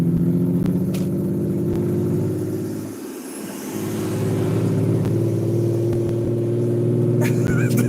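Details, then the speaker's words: 1998 BMW 320i E46 with straight-pipe exhaust, full throttle while driving: loud drone that sags and recovers with a lumpy, uneven rattling beat; engine misfiring under load, owner suspects ignition. "That's a very nice rattling sound. This sounds like the ignition. I really have to open up the engine bay to see what's going on."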